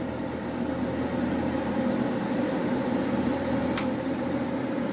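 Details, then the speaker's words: Carrier Infinity furnace repaired after a flood with new control board, inducer motor and gas valve, heat call: inducer motor hums steadily at speed, then one sharp click as the pressure switch closes before ignition; normal startup. "so you can see the inducer motor is on it will kick on once it gets up to speed"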